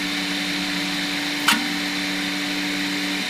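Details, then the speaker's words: Piocreat G5 pellet extruder 3D printer at 200 speed with a big layer height: steady two-note motor hum, then a sharp snap and brief pitch drop; extruder stepper skipping under load, stalls stopped around 150. "yeah that stepper I can hear it kind of stalling a little bit but it's still squeezed in"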